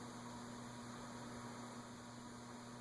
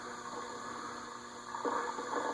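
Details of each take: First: Casablanca Delta II ceiling fan (K55-type motor) whose stiff, noisy bearings were freed with WD40 without disassembly, running at medium, where bearing noise appeared before: only a low, steady hum with no grinding. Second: Casablanca Delta II ceiling fan (K55-type motor) with stiff, noisy bearings, after WD-40 quick fix without disassembly, run without blades: low steady hum with faint rough, scratchy rumbling as the bearings work in.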